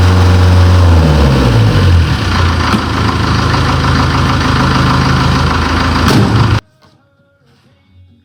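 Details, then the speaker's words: Series 2 Land Rover diesel (called a diesel 204) restarted on 3-year-old fuel after its first start in three years with a new starter motor. Steady low rattle and knock about four times a second, then shutdown; this is how these engines should sound: normal diesel idle. "For those of you who don't know anything about diesels, that rattle and knock, that is exactly what it should sound like. They all sound the same, these diesel 204s."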